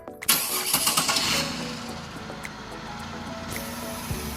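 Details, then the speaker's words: Car cranking: quick crank, clean catch, then steady even idle with no knocks or misses; normal start and idle. "steel sound great and it's there runs great too"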